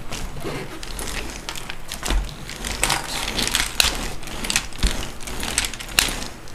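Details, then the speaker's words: RC Traxxas Revo rolled on all four tires: sharp, uneven clicking from somewhere in the front drivetrain; owner suspects a bad gear, after loss of drive power; spur gear looks fine; cause unconfirmed. "I noticed when I roll it with all four tires on the ground, listen to this. I can get it to do it on this small table. Hear that clicking sound? It's coming from the front somewhere."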